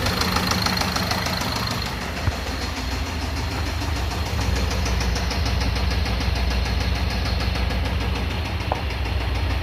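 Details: Ford Transit diesel with heavy smoke from the breather and exhaust; burnt injector washers leaking compression into the engine explain the breather smoke. Steady knock about two per second over the clatter: connecting rod knock.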